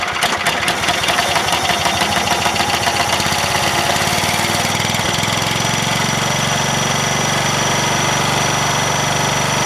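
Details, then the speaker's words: Cub Cadet 1000 with a Kohler K241 single-cylinder, a true cold start at about 27–28°F after sitting in snow, in neutral: thumps unevenly, then runs rich and steady; over-choked, and the owner suspects it ran out of its low fuel. "too much choking runner-up throttle I got a nasty suspicion I just ran it out of gas I know it was low"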